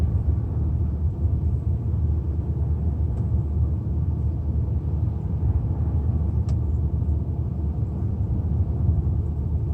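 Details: 2005 BMW 130i M Sport E87, N52 engine: low, uneven idle rumble with an irregular stumble and shake; misfire at idle with no fault codes and poor fuel economy.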